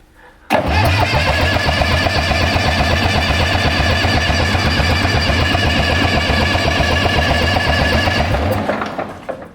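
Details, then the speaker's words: Case 830 tractor, long stored in a barn, with dry fuel lines: strong even cranking about four compressions a second for eight seconds that never catches; no fuel delivery yet. "I'm starting to think there should be getting some fuel course those lines were dry everything was dry dry dry"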